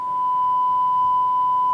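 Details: Micromega Duo Pro 2 DAC from the 1990s, which had background noise on its output, after replacing a dried-out capacitor: a steady pure tone near 1 kHz with no hum, buzz or crackle; the output is clean.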